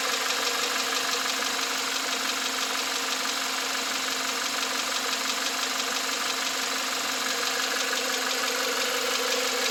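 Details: 2021 Volkswagen Atlas 2.0T TSI EA888, 7500 km (4660 miles), fresh VW 0W-30 oil; on cold start a fast light ticking/knocking appears as revs drop to idle.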